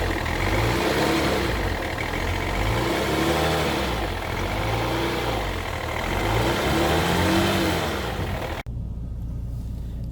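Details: BMW E60 3.0d M57 diesel after exhaust manifold replacement (old manifold cracked, causing false-air hiss and power loss): smooth clean revs rising and falling through several blips, no hiss or chuffing; healthy.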